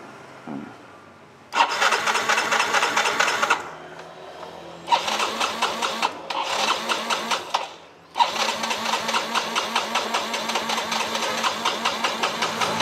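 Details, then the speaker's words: Motorcycle where fuel pressure builds late after key-on rather than immediately: three long bursts of fast even cranking that never catch; crank no-start blamed on delayed fuel pump pressure, with fake spare parts suspected. "nah ini tidak akan bisa menghidupkan mesin mas bro karena dia telat"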